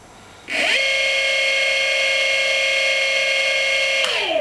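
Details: Golden Motor BLT-650 hub motor (650W rated at 48V), unloaded spin-up on a 20S pack, about 2030 rpm and roughly 1.3 A: quick rise to a steady, clean electric whine of even pitch, then a smooth wind-down; healthy.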